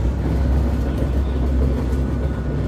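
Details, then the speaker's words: Loud, constant low rumble with rough drumming and no clear knock from a Beko DCU7230s tumble dryer drying a bulk cottons load on Cottons Extra Dry; it runs far noisier than expected. "and that is actually being very noisy it's crazy what why you so noisy"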